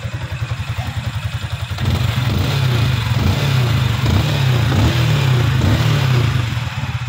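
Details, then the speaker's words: Yamaha Sniper 155 after replacing the failed timing chain tensioner and a cracked cable, plus FI cleaning: low even thump at idle, then a smooth steady rev with no chain rattle. Quiet again, normal running. "So number 1 na naging sira niya is yung tensioner lang at wala nang iba pa. So pinalitan na rin namin yung cable kasi may lamat na. Yan, tahimik na siya ulit."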